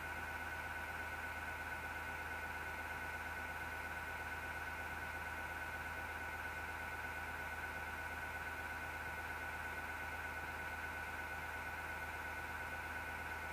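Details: PC power supply fan, grinding since December 2015, gives a steady whirring drone with a constant gritty hum and vibration that can be felt; the CPU fan is fine and the PSU fan bearing is grinding.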